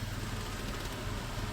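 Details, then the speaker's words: 1997 Toyota 4Runner, 5VZ-FE V6, 270,000 miles, code P0304: low idle rumble with an uneven, stumbling beat and engine shaking; cylinder 4 misfire, attributed to a failing plug wire. "so I have started it up hopefully you can hear the hesitation it's only for one cylinder there's even audible hesitation in that RPM when it"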